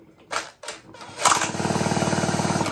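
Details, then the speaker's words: McCulloch Mini Mac chainsaw pulled over to recheck spark after setting the points timing to the IGN arrow: sharp, rapid, regular snapping about ten a second. The magneto throws a strong spark. "so let's turn it turn it back over again this recheck it for spark after I've done that"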